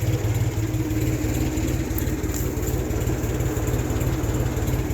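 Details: 1974 Ford 3000 gasoline three-cylinder tractor revived after being water-locked, new cylinders and muffler: even, regular low putter about three beats a second with no misses or knocks; idling smoothly.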